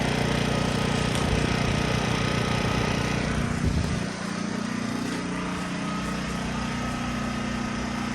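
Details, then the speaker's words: Harbor Freight Predator 1400 generator after 8 months of ownership, cold at 12 degrees: steady buzzy run drops to a lower, quieter, even drone as the economy throttle switch brings RPM down; normal economy-mode idle. "Basically the throttle. You can see the RPMs go down quite a bit more, and it's a lot quieter."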